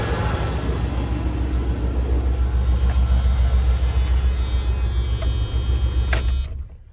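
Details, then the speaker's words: 27-year-old Dodge Ram 2500 after repairing an exhaust manifold leak at cylinder 6 (drilling, welding, extracting): steady low rumbling idle with no ticking or puffing at the exhaust; no exhaust leaks. "But now let's see. Nothing. No exhaust leaks whatsoever. Very excited by this."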